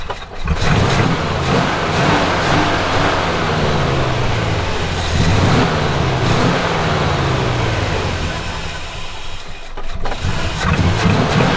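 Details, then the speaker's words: Classic Buick V8 on a Route 66 road trip runs unevenly, pitch rising and falling with throttle blips, from a huge vacuum leak after the PCV was left unplugged; owner plugs it back in. "I'm so dumb. I'm like, why won't it run right? Huge vacuum leak. Completely forgot to plug in the PCV."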